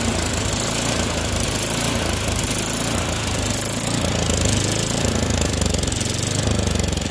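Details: Troy-Bilt Storm 24-inch snowblower after clearing the air vent, adjusting the float tab and fitting a new spark plug: single-cylinder engine chugging at a steady fast run, even beat, no misses or knocks; sounds healthy.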